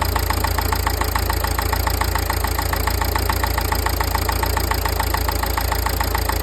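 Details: Nissan Qashqai 1.5 dCi diesel idles steadily with a sharp regular tick about two per second over the rumble; owner suspects injectors or turbo, cause not confirmed.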